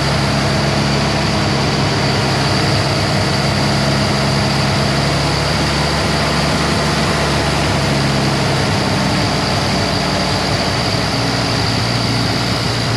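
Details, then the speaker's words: 1948 Jeep CJ2A revived after 30+ years, carburetor just installed, warming up: loud steady idle with low uneven pulse underneath, runs rough but holds; owner suspects carburetor vacuum leak and timing off, unconfirmed. "It's definitely got some sort of vacuum leak where the timing's just really off. But it likes a little RPM."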